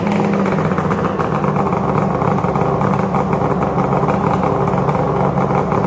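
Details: 1997 ZRT 600 triple two-stroke snowmobile, freshly fitted replacement bottom end (old crank bearings noisy, seals leaking), after sitting all summer: steady even drone at fast idle, no knocks or rattles; runs smooth and healthy.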